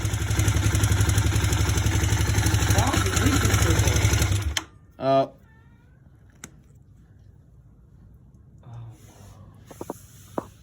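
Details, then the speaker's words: 2009 Kawasaki KLX250S bought with suspected electrical issues, not running six hours earlier; after carb cleaning, brief steady, even single-cylinder idle with no misses before shutting off, running cleanly. "Oh yeah. She lives. She wasn't running at all 6 hours ago."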